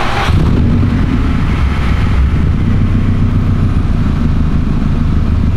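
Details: Car just fitted with a COBB flex fuel sensor, fuel pump primed and no leaks found: engine catches quickly and settles into a steady, even low rumble with no stumbling or misfire; healthy start and idle.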